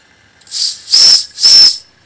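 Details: Wilesco D6 model steam engine warming up, boiler near pressure: two sharp high kettle-like whistle blasts over a soft hiss, clean and steady; whistle blowing properly.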